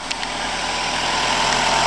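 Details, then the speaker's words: 2006 Nissan X-Trail after replacing the crank position sensor with a non-OEM part: starts first try and settles into a smooth, even idle with no misses, stumbles or knocks; repair successful. "Crank position sensor replaced. The motor is purring, starts the first try, and that's how it's done."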